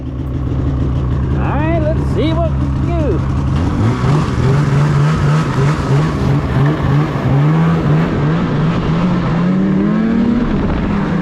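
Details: 2016 Polaris Indy 600 SP two-stroke snowmobile, test ride after fresh spark plugs, before fuel filter fix: climbs slowly and flattens at half throttle, only about 6200-6400 rpm; bogging, later traced to a plugged fuel filter.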